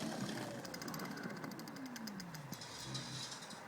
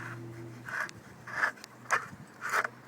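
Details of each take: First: Magic Pie hub motor with newly fitted 8-speed freewheel, in first (bottom) gear after derailleur adjustment: light, quick, even ticking from the freewheel pawls as the chain spins backwards, no rubbing or scraping; clearance looks fine. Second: Golden Motor Magic Pie hub motor with 8-speed freewheel spun on hand tight: short gritty scraping bursts about once a second as it rubs the hub; needs a washer behind the freewheel (previous 7-speed didn't).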